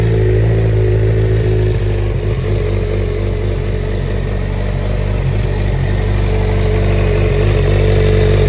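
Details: Stolen, recovered and fully rebuilt Suzuki GSX-R 600 inline-four, started after priming the fuel pump with clutch held: steady even idle with smooth low drone and regular firing, slight clatter only; normal running.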